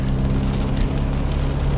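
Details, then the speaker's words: Nissan S13 240SX convertible driving after fixing an exhaust leak and strapping down the battery; low, even rumble with no puffing or ticking, exhaust sounds sealed and quiet, though a small leak remains at the stock manifold joint. "listen to how quiet it is batteries tied down good led headlights up front"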